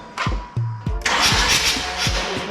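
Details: Mazda RX-8 rotary, abandoned and not started in a while, cranking: starter churns in uneven bursts with a few faint firing pops, then a rush of noise, but it never catches and runs; cause not confirmed.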